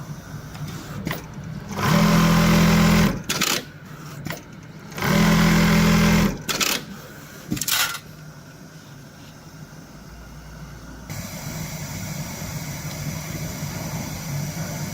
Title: Getonagain Pocket Setter Pocket Sewing Machine Testing before shipment #pocketsetter #pocket